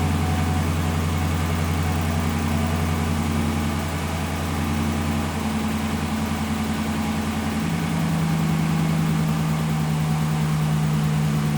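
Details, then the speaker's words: 2017 Ram 1500 Rebel V8 at idle after fitting a new BD Diesel exhaust manifold on one side: fast, even ticking from a leak where the manifold meets the downpipe, fixed by tightening those bolts. Exhaust manifold leak tick. "I was really upset for a second with that exhaust leak, but all I had to do is tighten up that uh those couple of bolts around the exhaust manifold where it exits into the downpipe. I just tightened those up and that leak is gone."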